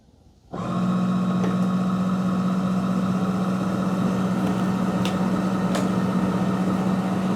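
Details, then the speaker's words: ECOVACS DEEBOT X2 Omni dock washing the mop pads after the robot returned on a 15-minute cleaning timeout; steady low pump hum starting and stopping cleanly with even water swishing, normal mop pad washing. "So it comes to the dock pretty good. It finds it, so yeah, it's like it says, I know what I'm doing. Now it's going to wash the mop pads."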